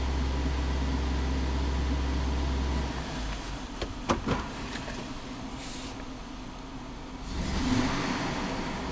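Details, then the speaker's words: 2001 GMC Sierra V8, warm (coolant 109 degrees), power-braked in gear: uneven rumble, bogging with poor throttle response before slowly building revs; all oxygen sensors reading rich, Bank 1 misfires under load reported; cause not yet found. "So that throttle response is really crappy. We get some activity there. I don't like this."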